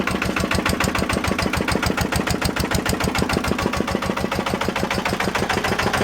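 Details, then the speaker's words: 1955 Lister LD1 single-cylinder diesel, 2 HP at 1000 rpm, before cosmetic restoration: firm, evenly spaced thumps at a steady slow beat, no knocks or misses; starts fairly easily and runs normally. "She does run, starts fairly easy, so just give her a cosmetic restoration"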